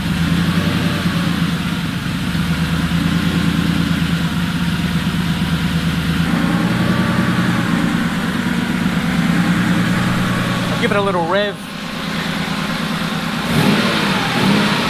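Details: Porsche 911 3.0SC converted to EFI and turbo, after opening the idle air bleed screw on the original 3.2 throttle body one turn. A steady low idle that holds evenly; a quick rev rises and settles back cleanly. It now idles properly.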